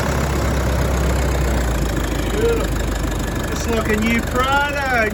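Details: Toyota new 1KD diesel engine first start after long crank, replacing one with flogged injectors: steady, even clatter settling into smooth idle with no knocks or misses; engine sounds healthy.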